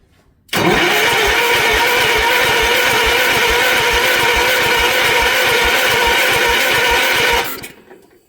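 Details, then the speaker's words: Gravely 816 garden tractor with a swapped Kohler KT19 engine: the starter cranks steadily at about three and a half turns per second for seven seconds and it never fires; the fuel pump delivers no fuel, so it will not start. "Did we have fuel? No. Why would we? That would be silly. I'm going to keep cranking. See if she'll start."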